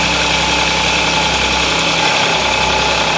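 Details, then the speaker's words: Audi S, cold start idle; two engine noises, a rattling and a croaking, building and fading, obvious cold, not heard warm; light metallic chatter over busy idle. "它发动机上面有2个声音。一个是啦啦啦啦啦啦啦的声音，一个是呱呱呱呱呱的声音。"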